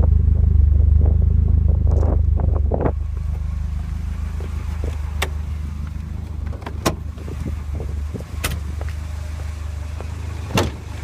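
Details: Volvo 740 B230FT petrol engine with LPG setup: low idle drone with an uneven, lumpy beat and occasional stumbles; misfire and rough idle.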